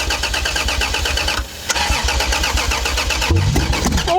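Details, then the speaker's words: Toyota Supra turbo six, first start attempt in 15 years, jump pack in use; steady cranking, then a brief rough catch near the end that never settles. Won't keep running. "did it start it started technically right it did start I think there must have been a bit brake cleaner somewhere"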